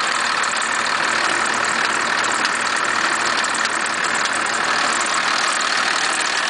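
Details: 1991.5 First Gen Cummins 12-valve diesel at cold idle, about -10 after a cold start: a hard clattering knock about 2.5 times a second over the engine. The owner cannot pin down the source.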